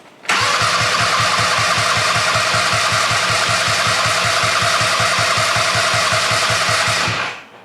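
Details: Go-kart engine with replacement CDI ignition module (smaller than the original, same plug): about seven seconds of steady cranking at roughly four beats a second with no firing; wrong CDI type gives no spark.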